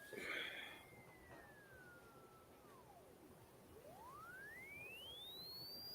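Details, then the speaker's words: A Tesla coil's pure resonant tone slides down and vanishes, then climbs back steadily to a high pitch as resonance returns; an object at the right distance helps, while too close drops the resonance. "the sound is back it changes things so you'll get a positive effect if you get at the right distance you get it too close it'll drop your resonance"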